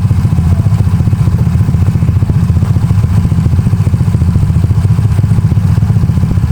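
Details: Honda Beat carburetor scooter bored up to 130cc, 2+ years of daily use, with racing exhaust, raised compression, new cam and piston, KW PE26 carb; firm even low beat, about three pulses a second, no knocks, rattles or misses, engine runs cool; normal revving.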